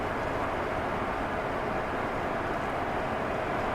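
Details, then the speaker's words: 1993 GMC Sierra half-ton 2WD extended cab with a crate motor, after diagnosis and repair of vibrations and clunks: even road roar at steady cruising speed with no rhythmic thump or shudder; better tires still needed. "well she's a cruiser now a lot better i think if he gets decent tires back on this truck it'll be smooth sailing"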